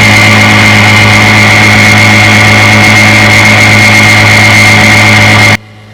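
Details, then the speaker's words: 1958 5.5 hp Evinrude two-stroke outboard, restored after Katrina flooding with replaced power head, carburetor and gear case, warm start on test run: steady, even buzz at constant speed, no misses or knocks; runs cleanly. "She runs beautiful. Let's give her a test run this morning."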